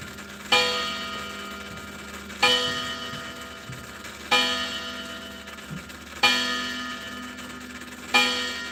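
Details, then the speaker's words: Chiming clock whose movement runs but doesn't tick and otherwise sounds like a coffee grinder: evenly spaced bell strikes about every two seconds, no steady ticking between them. "So it does actually it doesn't tick but it does the movement runs."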